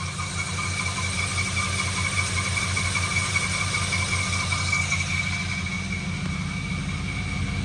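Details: 1987 Chevrolet Monte Carlo SS, about 15,500 actual miles: smooth, steady idle with a soft even burble from the tailpipes and a faint constant high tone; runs healthy.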